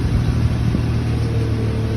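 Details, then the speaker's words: 2008 Nissan Maxima warming up at idle: loud, raspy idle with a puffing edge over the low rumble, owner states it has an exhaust manifold leak causing the loudness. "i do have a exhaust manifold leak that's why it sounds so loud"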